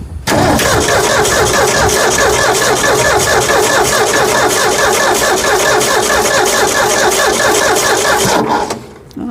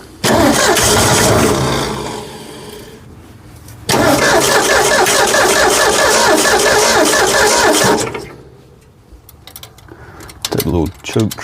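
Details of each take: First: 1965 Ford F100 240 six-cylinder, after carburetor replacement, cranked with coil disconnected to draw fuel up to the filter; steady, fast starter chugging for about eight seconds with no firing. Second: 1965 Ford F100 240 six-cylinder on its newly replaced carburetor, first start; catches, runs rough a few seconds, sags and dies, restarts and fades again, won't hold idle; owner suspects idle set too low, unconfirmed.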